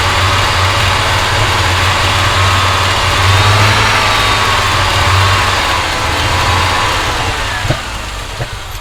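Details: Audi 2.2 Bosch K-Jetronic with new-old-stock injectors, idle screw turned down from about 2000 rpm: fast busy idle, sharp pops over steady rumble, idling too high; owner suspects over-fuelling, plans leaning mixture screw, adjusting idle and sensor plate.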